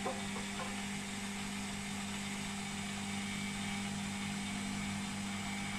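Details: Beko WMP 601 W 6kg 1000 rpm A+ washing machine on spin: smooth steady hum and even whirr with faint hiss, no grinding; the grinding heard during wash tumbling is absent when it spins.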